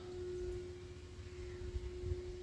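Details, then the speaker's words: Steady mid-pitched droning hum over low rumble heard Sunday evening through a fence on Salisbury Road, coming from the dock area; persistent droning noise called a statutory nuisance, source plant unidentified. "you can pick up a droning humming noise. That is a statutory nuisance."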